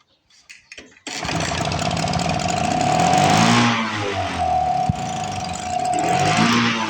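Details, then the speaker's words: 1986 Toro 21-inch commercial mower with Suzuki two-stroke engine, apparently unrun for years, choke not set: pull-start coughs, kickback, then uneven surging buzz running only on primer; owner suspects the carburetor needs repair. "I bet she's gonna need a carb car repair I should say"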